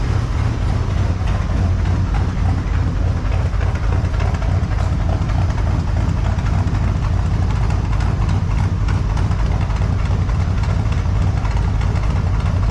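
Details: 1978 Chevy C10 with a 454 big-block V8, warming up at idle in the shop, in the session to cure an engine tick; deep, smooth, even idle with a low rumble and no top-end ticking, tick apparently gone.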